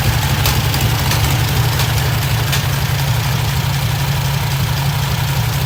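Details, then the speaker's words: 1972 VW Super Beetle with a 1600 air-cooled four, early startup. It idles low, even and steady with no misses or knocking, after the mixture screw was tuned to its sweet spot and the idle was lowered. Normal idle. "Run it all the way in until you can kill the engine, and then begin to back it out until it kind of gets to that sweet spot, and then you start lowering down your idle, and that's kind of where it's setting now."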